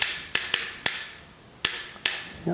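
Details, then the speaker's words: Paintball gun on 9-volt battery, board lit, trigger pulled: sharp mechanical clicks, seven in under three seconds, each snapping cleanly; solenoid moving the free, unbound sear properly. "so I'm going to take a 9-volt battery attach it and turn it on so it lights up that's good now when I pull the trigger this should move back and forth"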